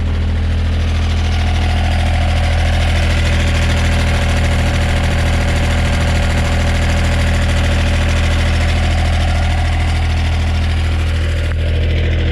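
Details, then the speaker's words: 2010 John Deere 1545 Series II 4x4 diesel tractor, running on a boost with a battery that won't hold charge: steady low idle with a light rattle from the back end, a few beats per second; exhaust suspected, not confirmed. "unit seems to run and drive okay once we're once it's operating a little bit of a rattle from the back end you can hear that I'm sure"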